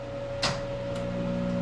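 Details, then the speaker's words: Monarch 10ee toolmaker's lathe, warmed up and lubrication checked, control switched on: a click then steady low hum as the big transformer kicks in and energizes. "you can hear that big Transformer starting to kick in"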